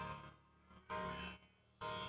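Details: Redmi 4A whose ringer buzzer was originally cracked: after replacing the UI board (charging, speaker, antenna, mic), music plays clean from the loudspeaker with no crackle, rattle or buzz. The earpiece call speaker is still faulty.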